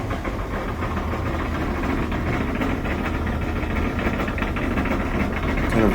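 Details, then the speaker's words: LG dryer running with a loud, steady low rumble from a worn drum support wheel; dryer has four support wheels, usually a front one is worn; fix is replacing the support wheel. "runway noise usually this is due to a worn out support wheel this dryer has four support wheels so you could purchase all four but often it's just one that's worn out"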